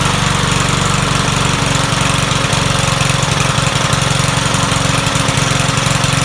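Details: Troy-Bilt 21-inch self-propelled mower salvaged from the dump, owner thinks it has a Kohler engine: the engine runs with an uneven, hunting beat rather than a smooth drone. The rough running points to a dirty carburetor that needs cleaning.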